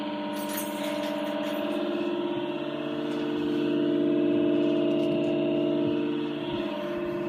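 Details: NewAir AWC-270E wine cooler: a steady droning whine with a slight throbbing beat from its worn cooling fan, before replacement.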